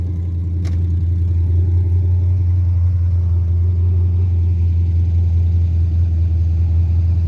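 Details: 5.3 LS-swapped Mustang converted to carburetor with MSD LS ignition: deep steady rumble held evenly, idling noticeably high when warm with no dip or hunt; fast idle, owner unsure whether carburetor, timing or vacuum leak is the cause.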